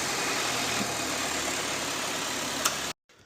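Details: Car idling after new battery fitted to cure no-crank fault, alternator charging steady 14.3 V, then switched off; smooth, steady hum with no knocks or misses for three seconds before cutting out, normal idle.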